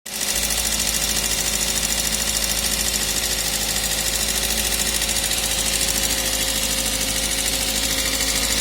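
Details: Toyota 1ZZ engine at idle: quick, light, steady ticking about two or three taps a second from the cylinder head, valve train tapping.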